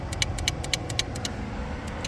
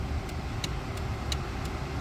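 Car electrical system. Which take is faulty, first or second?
first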